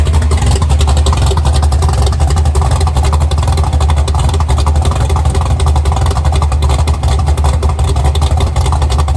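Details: Chevy Nova V8 heard from towards the back with a deep, lumpy idle, strong low thump and steady rhythm, no knocks or misses, after rebuilding the carburetors (one full of trash); owner had assumed about 10:1 compression but it has more than expected; healthy.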